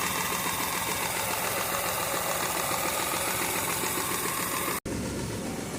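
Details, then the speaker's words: Mahindra KUV100 three-cylinder petrol idling with uneven, stumbling misfire, MIL lamp on (P0300, injector circuit); injector cleaning helped only temporarily, so faulty injectors are being replaced with a genuine injector rail assembly. "ഇപ്പോൾ എനിക്കിപ്പോഴും missing ആണ്. അതായത് MI lamp already ഓണായി കിടക്കും."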